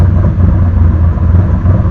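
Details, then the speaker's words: Engine idling during first-start idle tuning after a Stinger Performance Pimp XS install; setting lowered to 38.5, AFR about 14.3–14.6, occasionally reaching stoich. Low, steady rumble with no hunting or misses; smooth, settled idle, though the throttle screw will probably be backed off to lower rpm. "i'm pretty happy right there probably going to back the throttle screw off a little bit just to bring those rpms"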